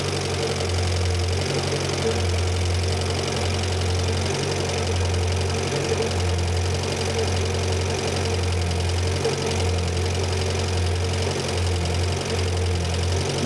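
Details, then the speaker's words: Renault 5 Gordini Turbo, non-electronic idle mixture screw turned out (richer), likely unadjusted for years; low uneven lumpy wavering idle with a faint tick; rough idle from over-rich mixture, screw turned back in. "that is I'm unscrewing that which makes it richer and it doesn't like it so I'm going to screw it back in again"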